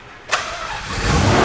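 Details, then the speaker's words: Mazda Cosmo rotary, a rare JDM car, after reconnecting a fuel line found off the fuel pump: brief starter whirr, catches at once, settles into rising steady buzzing idle, not very smoky. "Oh my God, it's idling. It's idling. Boys, it's idling. Woo! Look, it's not even that smoky right now."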